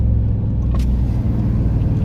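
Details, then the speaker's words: D22 Nissan Navara with V8 swap, after repairing a misfire and occasional stalling traced to one wire following a clutch replacement, driving at low speed, warming up: deep, even V8 rumble, steady and smooth with no misfire or stumble; normal running after repair. "Give it up, brum brum. Oh, listen, oh, sounds good."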